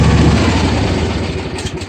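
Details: John Deere 155D lawn tractor, 22 hp 724 cc engine, being checked for intermittent no-crank: steady low engine drone winds down within about two seconds when the seat is vacated; the seat safety switch cuts the engine as it should.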